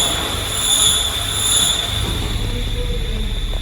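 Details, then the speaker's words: Renault Sandero 1.6 8V manual gearbox at about 117–120k km, idling: a steady, piercing high whistle from the dry clutch housing that grows when the clutch pedal is pressed; the release bearing had broken apart, scattering its balls; clutch kit replaced after the gearbox was removed. "А если мы запустим, слышен свист. При выжиме он усиливается."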